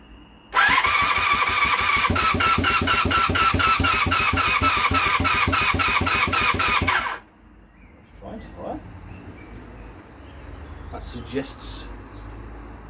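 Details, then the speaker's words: Project motorcycle with a temporary engine freshly fitted, spark plugs in and some fuel added, starter cranks slowly and evenly for about six seconds without catching; owner suspects the battery is not at its best; no start. "electrics might be alright the batteries not at its best okay right and then give the battery a little while to charge"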